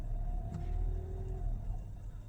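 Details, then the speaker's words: Hybrid car with the accelerator floored and blipped: only a soft low hum, no revving roar like a conventional car, just a warning appearing; normal behaviour for this hybrid. "Ini saya gaspol loh ini, tuh gaspol ini, suaranya gitu doang tuh. Jadi nggak kayak mobil biasa ya yang digas tuh ngungung tuh, ini nggak bisa teman-teman."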